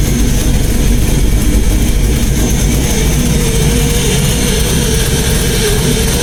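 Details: LS-swapped Chevy Blazer V8 running on a self-made ECU tune: loud, deep, lumpy rumble with a raspy edge; an exhaust leak somewhere along the pipes.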